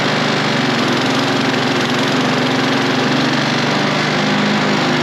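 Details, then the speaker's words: Toro Recycler self-propel mower with a single-cylinder engine, before carburetor cleaning: won't restart on its own and runs steady and loud only after a shot of starting spray; fuel delivery suspect, carb then cleaned. "See if it'll start again. Nope. Going to need some spray."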